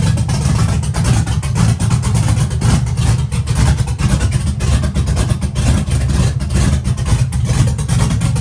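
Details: Abandoned Chevy truck with a big cam, running on a new tune with more startup timing: deep, choppy, lumpy idle with steady rumble and no knocks or rattles; normal running.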